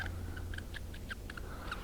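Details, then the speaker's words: 1967 Mercury Cougar A/C belt idler pulley spun by hand, original Japanese bearing: turns freely but short high chirpy squeaks about four or five a second, a worn bearing needing replacement. "you know it turns freely but hear that squeak yeah that could be a big problem on that next Route 66 tour"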